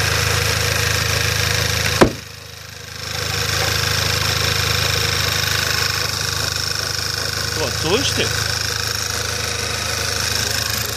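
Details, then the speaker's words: Skoda Octavia A5 at idle: steady running with a brief rubbing chirp near eight seconds, not following engine speed, appearing about a minute after starting; intermittent engine-bay squeak, cause unknown, no effect on performance. "Был слышно не был такой звук как что-то трёт кык кык кык кык что-то в этом роде"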